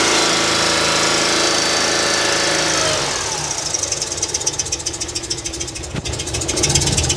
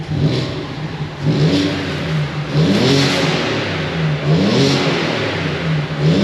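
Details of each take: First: Audi A4 Cabriolet 3.0 V6: uneven, stumbling idle with irregular ticking and level dips, a cylinder dropping out; fault reported at cylinder 4 with ignition cut-outs, coils newly fitted. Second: Audi A4 Cabrio 3.0 V6 after full engine rebuild, started after a year: catches cleanly and revs up and down in smooth, even sweeps with no knock or rattle; runs healthy.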